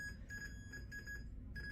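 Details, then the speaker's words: Device repeating a thin high beep in short bursts over a low room hum after its cable stopped working for a while; the fault behind the signal is unknown. "it started doing this noise it's been like trying to do something for a while but not this noise before so I think it's trying to tell the world something but I don't know what this is"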